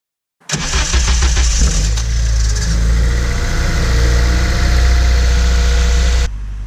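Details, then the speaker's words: Honda Civic Si cold start just after an oil change: engine fires and flares in revs with a brief metallic rattle in the first second or two, then settles to idle; cause suspected, not confirmed. "I just got done changing my oil in my SI. I'm gonna go ahead and see if the rattle is still there upon startup."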